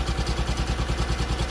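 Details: Single-cylinder engine idling after the fuel tap was turned on and the float bowl and filter filled, engine rocking on soft mounts: steady, even thump of about eight or nine beats a second with no misses or hunting; a clean, healthy idle.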